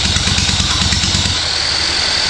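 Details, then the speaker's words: 1970 Honda CL100 with a freshly freed seized engine, spun by a drill with no spark plug and lubricant sprayed in: rhythmic, even compression puffs under a steady drill whine. Valves move without sticking; normal cranking compression. "hey sounds like we have some pressure just spinning everything around"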